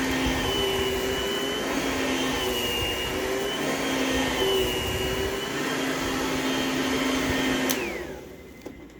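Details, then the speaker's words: Oreck XL Platinum upright vacuum running on new carpet: steady motor roar with a thin wavering buzz until switch-off, caused by loose ingest bars that still need fixing. "I still need to fix a little issue with the ingest bars. You can kind of hear the little buzzing noise that it's making."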